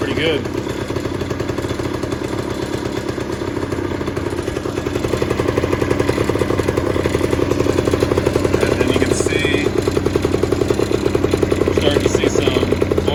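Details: 1991 Honda Cub EZ90 long stored in a barn, carb cleaned and refitted, just revived: quick buzzy putter holding a steady even beat, slightly building in volume; engine runs cleanly, oil injection working.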